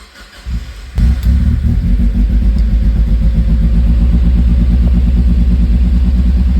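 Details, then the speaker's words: Mazda Miata idling shaky at 2000 rpm and climbing, with flutter, before any check-engine light: steady deep rumble well above normal idle with a slight hunt. Later traced to a coolant temperature sensor circuit fault (P0118, reading -40F, no signal). "Shaky. Doing a lot out there. 2000 and climbing. Stopped shaking, but it's still going up."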